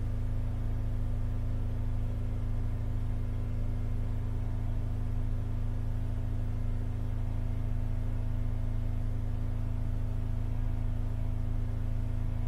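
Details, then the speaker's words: Holden Captiva Chevy V6 towed in cranking but not starting, power balance test: low slightly lumpy drone; cylinders 2, 4 and 6 show no rpm drop, so that bank isn't firing. "so one three and five noticeable differences two four and six nothing so we've lost two four and six that's proved by this Power Balance check that we've just done"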